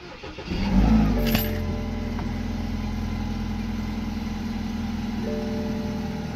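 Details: BMW after check-engine fix (sensor likely left unplugged when oil filter removed, plugged back in): starter whirs briefly, engine catches and settles into steady even idle, no knocks or misses; healthy start, light may still need clearing.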